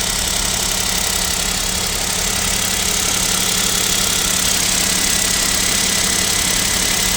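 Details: Kia Picanto 2, 1.0 G3LA engine, cold idle at about -7°C: busy clattery idle with light fairly regular knock about three per second; suspected piston knock, owner asks if overhaul is near, unconfirmed.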